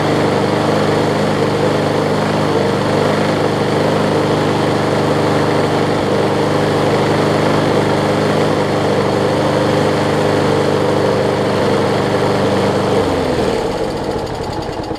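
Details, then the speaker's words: Older MTD Yard Machines 21-inch push mower, 3.5 hp Briggs & Stratton, carb not priming, only runs seconds: rough throbbing single-cylinder beat with heavy vibration, dies after about thirteen seconds; bent crankshaft found later. "So it's not priming, and it's vibrating my rear end off."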